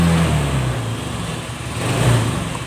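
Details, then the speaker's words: Honda Scoopy FI injection scooter after full service and CVT upgrade, previously sluggish with late throttle: steady low engine note swelling cleanly when throttle opens, no bogging or hesitation; response restored, healthy. "Oke. Respon sudah guys ya. Oke. Bener kan? Nah, motor ini sudah respon kembali guys ya."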